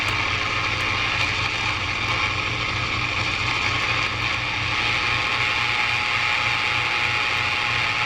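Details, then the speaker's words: 1946-48 Sparton model 6-26 tube radio, first power-up after new tubes and components: loud hiss and crackle with pulsing low buzz; poor reception, out of alignment, plus interference from fan and halogen lamps. "yeah it's definitely alignment got some interference from our fan that's on and our H hallogen lamps in here so if I was turn the light off that would go away"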